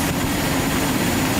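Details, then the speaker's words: Nissan R32 Skyline after A/C repair, engine idling: smooth steady low hum and faint even tone, no clatter or squeal; A/C compressor magnetic clutch engaged and running normally, air blowing cold. "Let's start it up and see if the AC kicks on. Oh, you hear that? AC kicked on."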